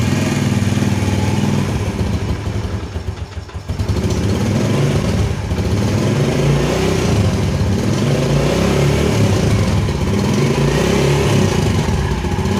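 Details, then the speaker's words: Carbureted motorcycle after returning pilot jet to K38 from K35 and setting air screw and idle: engine idles, then revs cleanly and evenly with no stumble, the earlier hesitation on twisting the grip gone; normal throttle response. "Nah sekarang akan saya coba Nyalakan Kang Bro coba dengarkan untuk suara mesinnya dan bedakan ya Ee di awal video saat akan diputar hand grip itu terjadi ee berbet dan sekarang kita coba lihat apakah masih sama atau sudah ada"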